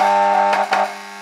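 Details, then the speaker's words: Years-old FPE Black-light 1x18-20W T8 fluorescent fitting, low quality: loud, steady, harsh electrical buzz with a brief flutter partway through, unbearably noisy. The lamp sockets often malfunction and had to be tapped; the exact cause is unknown. "Non mais là, ça devient insupportable comme bruit. Je suis désolé, mais voilà quoi."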